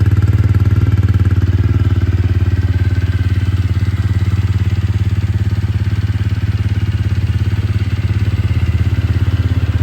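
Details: TVS Ronin single-cylinder, first start after full engine teardown for an internal noise initially blamed on the clutch: even thump at steady idle, firm exhaust beat, no ticking or rattling; exhaust note unchanged, suggesting no valve or compression leak; sounds healthy.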